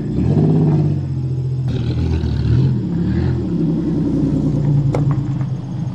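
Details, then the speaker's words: 1990 Chevrolet Celebrity wagon, not driven for a long time, low on gas; deep steady engine rumble rising and falling smoothly with revs, no knocks or misses, running well. "Other than out of gas, the Celebrity seems to be working pretty good. Sounds good."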